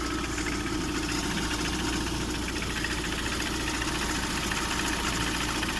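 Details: Lada Priora 16-valve, engine 126: steady idle with faint, somewhat irregular light knock or rubbing near the timing belt area; owner suspects piston knock, cause not confirmed.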